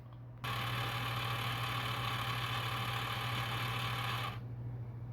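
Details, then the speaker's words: PS4 disc drive refusing Resident Evil 7: steady buzzing whir for about four seconds, then it stops as the drive cycles like ejecting without taking the disc; the magnet sits down inside and the rollers appear stuck down. "Alright, so it didn't want to take it. I don't know why, but when I do this, you can hear it like ejecting."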